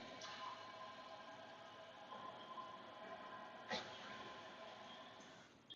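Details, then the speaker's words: Toilet tank refilling on its own: a steady rush of water runs for about five seconds and then stops. A bad flapper slowly leaks tank water into the bowl, so the tank refills every few minutes. "if you heard that I'm hoping you hear that and I'll try and turn the volume up in the video so you can hear that it just filled the tank up because the tank is leaking water into the bowl okay"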